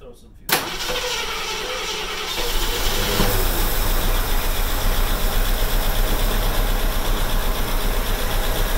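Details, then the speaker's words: AMC Hornet, started on starting fluid, now warmed up and running off the carburetor bowls: steady even V8 idle with a regular low beat, no knocks; healthy normal idle. "don't hear anything catastrophic in the engine right now so this thing might be a runner we'll see"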